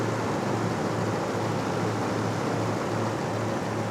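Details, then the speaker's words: 2015 Lexus GX460 V8 at about 142,000 miles, idling after a new serpentine belt fixed squeaking and chirping from a 30,000-mile belt; smooth even low hum with no squeak or chirp. Normal idle. "All right, guys, so it looks like the new belt solved that squeaking, chirping issue."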